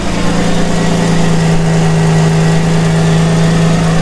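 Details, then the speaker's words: 30-year-old Mercedes-Benz W124 just started and warming up, hood closed: deep, steady drone over a smooth idle; the exhaust is much louder than it should be. "let me close the hood quiet down so you can hear that's how loud the exhaust is"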